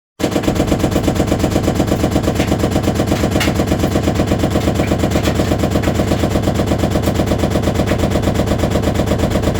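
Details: Six-year-old Samsung VRT front-load washer (WF45M5500AZ) on spin: loud, rapid, machine-gun-like banging and knocking from a broken, deteriorated drum spider arm; metal was found in the filter, with SC and Ub errors.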